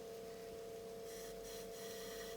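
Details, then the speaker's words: Tascam 38 eight-track half-inch reel-to-reel recorder under restoration, fitted with a makeshift temporary rubber belt: steady even hum with a clean tone, no flutter or slipping; tension and torque judged right, belt drive running normally. "it's not bad how's the right amount of torque the tension is I mean Jesus I'm impressed"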